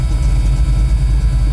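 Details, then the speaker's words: 1985 Ford F-150 with an HEI distributor replacing a failed MSD/Holley dual-sync unit, warm at 160°, idling at 700 rpm with AC on and 23% IAC. Deep, even rumble with a steady beat, no misses or knocks. Normal warm idle. "it's running at 700 RPMs [Music] with the AC [Music] running exhaust smells pretty good"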